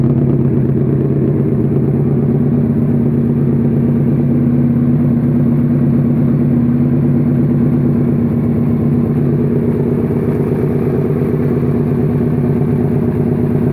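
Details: Suzuki SV650 supertwin self-build project after rebuild: even, steady V-twin lope with low uneven-firing beat at idle, no knocks or rattles; normal idle.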